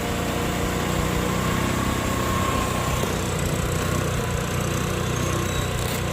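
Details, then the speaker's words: Easyride 150N GY6 scooter with D-type carb, auto enricher removed three days earlier: engine now warm, idling a steady, even putter at about 1,100–1,200 rpm without hunting. It no longer smokes, where before it smoked within about a minute. Normal warm idle. "so medyo mainit na ung ating makina nasa 1,100 RPM or 1,200 RPM so hindi pa rin naman umos"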